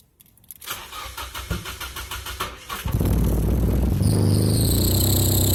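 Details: 1995 Nissan 240SX S14, straight-piped, emissions deleted, engine rebuilt April 2016, sat over a year: cranks about four beats per second, then runs loud and uneven. Suspected misfire despite correct timing and a new distributor (four tried), plugs, wires, battery, fuel filter and pump; injectors not yet replaced.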